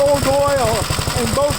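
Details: Second Gravely project's small single-cylinder engine on its first start-up after installing the gas tank and tightening the throttle rod: a steady, even idle thump under a voice with no hunting or surging. The owner is unsure whether oil is seeping into the exhaust. Normal running.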